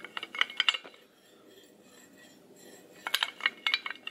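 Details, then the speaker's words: Ranger 10-ton snatch block rocked by hand: loose metallic clatter in bursts each wiggle, quiet between; excessive play between roller and support, unlike a smooth comparison block. "see how noisy that thing is? Hear the difference?"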